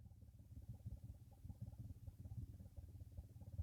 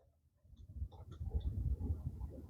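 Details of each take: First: 2016 Nissan Murano cabin blower fan before replacement, run at low speed, where it is much worse than at high speed: an uneven, low fluttering rattle under the airflow at about a hundred beats a minute, from a worn blower motor. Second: 2016 Nissan Murano with a newly installed blower motor, test run with low speed quiet, then the high-speed check: a smooth airflow rumble builds with no squeal, ticking or grinding, normal blower operation.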